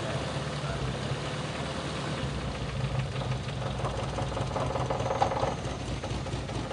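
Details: Toyota Kijang engine idling: stumbling, uneven lumpy beat with occasional skips; misfire (pincang) though all spark plugs checked normal, so cause may not be the plugs.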